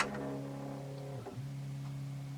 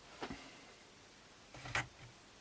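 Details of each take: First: Philips BEP2700 Blu-ray player that won't eject: faint motor hum that sags, stumbles and picks back up, then a clunk and it stops without the tray moving; worn, slipping loading belt. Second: Philips BEP2700 Blu-ray player after a new loading belt was fitted: a click, then about four seconds of smooth, even motor whirring as the tray draws in, ending in a soft clunk; normal disc tray loading.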